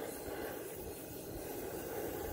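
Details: Cast-iron LPG ring burner stove on a new adjustable 0–30 PSI high-pressure propane regulator: steady, even hissing roar with no flutter or popping. Normal burner roar at high gas pressure.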